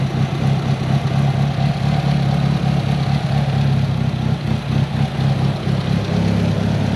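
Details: Built Mitsubishi Evo 8 with Kelford 272 cams, after replacing the failed IAC with a 2000-up Eclipse unit and a richer idle tune. A loud, uneven loping idle with a rhythmic lumpy pulse over a deep exhaust drone: big cams running healthy.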